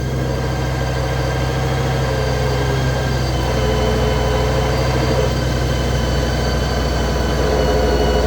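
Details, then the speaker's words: 2008 Honda GL1800 Goldwing flat-six idling in neutral: rough buzzy chatter over the low steady engine note, clutch vibrating, then going quiet; cause not confirmed. "Clutch vibrating right here. Shifting into first. Neutral, went quiet. Clutch out."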